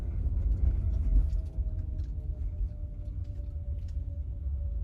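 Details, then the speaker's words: 2023 Genesis GV60 driving in cold weather (about 46°F) after felt tape was added to the four rear hatch alignment tabs: only low, even road rumble, and the rubbing/clicking from the hatch is gone. "so putting the felt tape definitely completely quietened it down you couldn't hear anything from the video"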